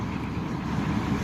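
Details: 1997 Chevy Tahoe 5.7 Vortec V8, about 234,000 miles, cold start in snow after fuel pump replacement (previously needed ether, sputtered above 3,000 rpm): smooth steady idle rumble, no stumble or misfire, fuel pump audible; healthy idle.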